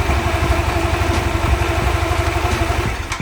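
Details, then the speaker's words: Honda Vario carburetor scooter with new TSF Racing carbon-steel double clutch bell and shoes, running without the CVT cover: uneven idle with a light jerky rattle as the bell and shoes grip; noisy clutch rattle. "untuk suara dari mangkok dan kampasnya kalau tanpa menggunakan baks itu ya ini agak berisik sedikit ada suara ya hentakan ataupun ketika grip mangkok l kas itu agak berisik sedikit"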